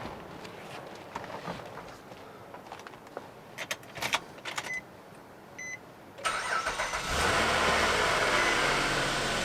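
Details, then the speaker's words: 2006 Nissan Maxima belt squeal at start-up: light clicks, then the engine fires and a loud, high screech rides over it; intermittent at first and fought for months, repaired with a new A/C compressor, expansion valve and condenser. "Now, I've been fighting this problem for months. When it first started squealing like that, it was very intermittent."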